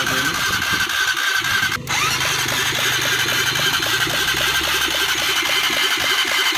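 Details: Honda CBR 150 after full engine fitting: starter spins briefly, engine catches cleanly and settles into an even, steady idle with no knocks or rattles. Normal start and idle.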